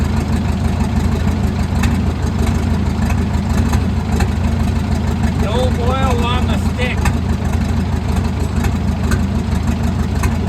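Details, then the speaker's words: Caterpillar 922B loader, engine just brought back to life and fed by an electric fuel pump from an overhead tank: deep, heavy, slightly uneven diesel chug of about two beats per second, a tired engine running rough. No hydraulics or air yet. "Early this morning, we finally got that thing fired right up, but it's running rough. That engine is pretty much done."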